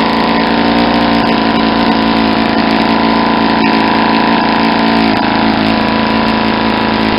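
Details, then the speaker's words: Saito 50 four-stroke model engine, first run after new ring and bearings, APC 11x7 prop, 10% Omega fuel, needle set very rich for run-in: steady loud running with soft uneven blubbery burble, no crisp note; over-rich mixture. "because I got it's a really rich and you'll hear kind of blubbery"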